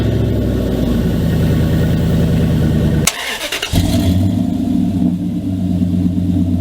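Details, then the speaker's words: 2000 Dodge Dakota at idle, cold start: loud raspy rumble from broken exhaust dumping under the passenger seat like a straight pipe, then quieter, smoother note after patch repair; exhaust leak before and after fix. "before just sounded like it was like i said it was just dumping right underneath the passenger seat so it's like a straight pipe basically"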